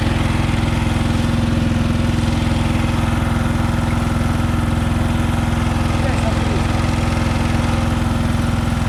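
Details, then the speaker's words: Komma Seisakusho MT-S411D harvester thresher while threshing: even rapid thudding about three per second over steady drone; sorting/shaker section first suspected, traced to the binder (knotter) sitting out of position. "結束機の位置がおかしいんだ。"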